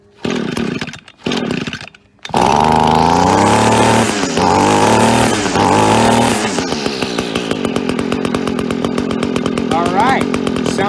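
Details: Echo string trimmer believed to be mid-2000s, 21.2cc two-stroke, cold-started with choke, primed and held wide open: pull-start bursts, then high steady buzz that revs and settles into an even idle off choke; runs clean, normal.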